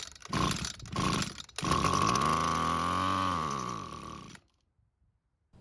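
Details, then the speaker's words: Abandoned Echo trimmer, carb partly disassembled, primed through the carb: two short pulls, fires, revs smoothly for about three seconds and dies, running only on priming fuel. "the good news is that it started and ran, and it even sounded pretty good too, but the bad news is that this carb is kind of in pieces"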